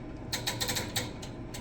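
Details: Western Ultra Mount 2 snow plow, first use of the fall: pump solenoid chattering in rapid, uneven bursts of sharp clicks as voltage drops below 12 V from a corroded negative ground at the battery post, sparking when wiggled.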